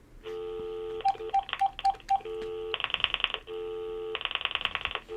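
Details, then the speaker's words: VTech CS6529-4B cordless phone set to pulse dialing mode: steady dial tone breaking into quick bursts of sharp clicks, eight clicks for digit eight and four for four, the line disconnecting and reconnecting. "c'est huit fois quatre c'est quatre fois donc ça fait ce bruit cette déconnexion et connexion"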